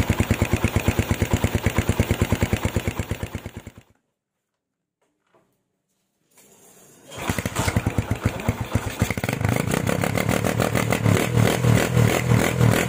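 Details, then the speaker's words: Tiger standard factory engine with PWK 28 NGO carburetor, pilot jet lowered to 30, GL Pro needle clip raised to top: steady even single-cylinder idle, shuts off and restarts, stable with no hiss; revving also normal, carburetion now right. "Oke bosku, sekarang setelannya, stasionernya sudah bisa stabil, nggak ngeses lagi, dan untuk blayerannya juga sudah normal loh."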